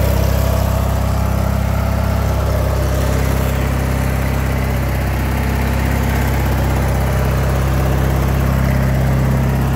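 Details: LX176 lawn tractor, drives without belt slipping, mower deck not yet done: steady, even low drone from the small engine with no misses, knocks or surging; normal, healthy running.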